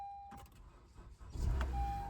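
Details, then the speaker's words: 2016 Honda CR-V, no-start with repeated clicking, battery at 11.72 V from lack of use; jump-started with a 1000 A lithium booster: short beep, quick crank catching into steady idle, charging 14.27 V afterward. Dead battery confirmed, normal start. "All right, that was the problem. We got a dead battery."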